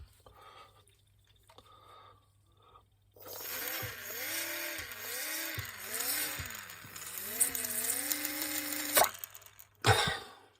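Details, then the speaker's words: Nespresso U XN250 after clearing debris from flow meter intake and flushing with alcohol: small impeller whirs freely, tone rising and falling with flow, no rubbing; flow meter spinning normally, clog believed to be the fault. "Hope you can hear the fan now spinning. So I'm confident this was the problem with this unit."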